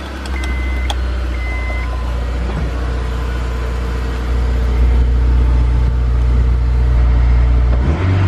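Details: Honda S2000, about 80,000 miles, after replacing all four spark plugs, check-engine light still expected: low idle with an uneven, lumpy pulse; misfire at idle, owner suspects coil packs.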